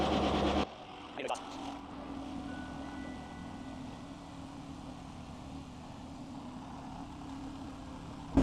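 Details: Chevy Silverado V8 (4.8/5.3/6.0/6.2L) just after fuel pump module replacement via bed lift, pump heard priming with no leaks: quiet, steady low hum at one even pitch with no surging or stalling; idling normally, though the fuel gauge reads way off.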